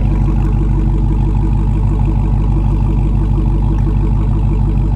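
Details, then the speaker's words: Salvage-auction vehicle that started right up, with the exhaust heard from the rear: a deep, even burble at idle with a steady low pulse and no misses or rattles. The idle is normal and healthy. "that sounds good. That sounds nice. I like it."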